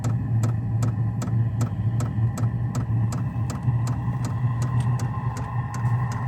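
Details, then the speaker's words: HCALORY diesel heater on a Jackery Explorer 2000 Plus in subzero temperatures, just firing up: steady low hum with a crisp fuel pump tick about every 0.4 seconds, pulsing evenly; normal heater running. "okay I can hear the fuel pump going sounds like it's firing up"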